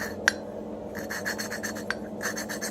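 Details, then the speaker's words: FMB139 pit bike engine cylinder head: exhaust valve hand-lapped in its seat with paste, turned slowly by hand at first; quiet gritty rasps several times a second with a few sharp clicks. "na początku polecam sobie robić ręcznie obroty powoli tak żeby ta pasta fajnie się ułożyła"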